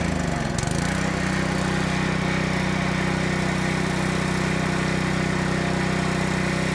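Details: Honda GX200 water pump engine after carburetor cleaning, fresh gas: catches after a brief crank and holds a steady fast run on full choke; won't run off choke, carb to be rechecked, cause unknown.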